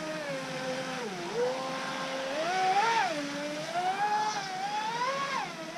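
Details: Joysway Rocket 26 RC race boat on 4S with plastic props, test run after the flex shaft end was re-glued with 24-hour epoxy and the drivetrain modded; smooth motor whine rising and falling with throttle, no rattle or grinding; drivetrain running normally.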